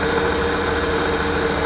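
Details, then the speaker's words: 1998 Holden VT Commodore wagon, 3.8 litre V6, automatic, 310,000 km, no oil leaking. Steady, even idle hum with a faint constant tone and no misses or ticks, pretty smooth and clean: a healthy idle. "pretty smooth pretty clean"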